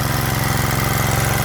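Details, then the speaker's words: Freshly rebuilt Kohler K91 single, a three-into-one project, on its first startup at fast idle for a 15-20 minute break-in: steady, even firing with no knocks, misses or rattles, running clean and healthy. "for an initial startup i don't think you could ever ask for anything better than that i'm going to let it run for about 15-20 minutes just like this at this idle i mean at this speed"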